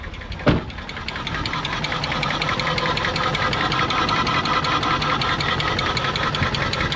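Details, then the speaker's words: Nissan R34 Skyline, 149,000 km, parked 10 years, first self-sustaining start with pod filter and AFM hooked up, stale fuel, no coolant: a brief cranking burst, then an uneven, lumpy, stumbling idle, a rough-running misfire. "The fuel is stale. The engine sounds like ass."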